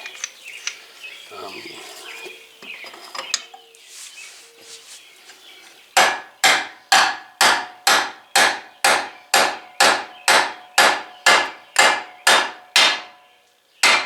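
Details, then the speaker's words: MK4 Golf wheel hub and bearing pressed into the knuckle with an install kit: steady hammer blows about two a second ring off the hub, and the pitch changes and sounds solid near the end as it seats fully home. "Hear how that changed pitch? Well, that means you're done."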